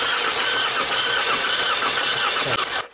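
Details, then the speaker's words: 2016 Kia Sportage petrol, crank no start after crank/cam sensors and spark plugs were replaced; spark present but seemingly delayed; brief cranking that never catches sounds like very low compression in a few cylinders, relative compression test pending. "I'm not going to disable anything because you're actually hearing like the compression is really low so um believe it this vehicle definitely lacking compression right in a few cylinders"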